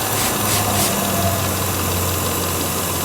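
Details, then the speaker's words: 2006 Volvo XC90 at warm idle with lean codes P0171/P0174: a steady airy hiss grows louder up close at the PCV valve. The failed internal diaphragm leaks vacuum and seals more once warm, making it hard to find. Fix needs the upper intake plenum removed. "i guess these have diaphragms that go out on them inside that's why they're hard to see and when it warms up guess what it starts to seal more so it's really hard to find"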